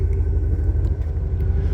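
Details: 2000 Chevrolet K3500 pickup, 7.4L (454) big-block gas V8, 147,000 miles, idling after a remote start. Deep, steady low rumble with an even firing pulse and no knocks or ticks: healthy, normal idle.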